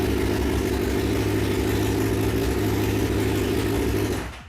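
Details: 2006–2007 Suzuki GSX-R 600/750 four-cylinder, final start after installing an aftermarket Amazon ignition switch, with the fuel pump priming: steady, busy engine note running evenly without misses or knocks before cutting off; normal start and idle.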